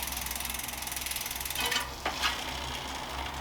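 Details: Planet X Pro-Carbon road bike, rear Vision wheel spun during a check: fast, even freewheel clicking that slows as it coasts, with no grinding or rubbing. There is slight play, but it makes no noise, so the hub is judged fine.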